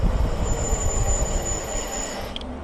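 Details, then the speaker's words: Lectric XP 3.0 e-bike braking with both brakes down a long hill at about 24 mph: thin, very high squeal for about two seconds over wind rumble; the front disc brake is very loud, cause unconfirmed. "Good stopping power using both brakes there, but man, that front one's really loud."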